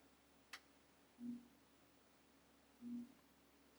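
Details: GoldStar 3DO console with a sticky tray, playing Street Fighter 2 Turbo before its laser assembly was replaced: faint short buzzing whirs about 1.5 seconds apart in a quiet room; abnormal CD drive noise traced to the laser.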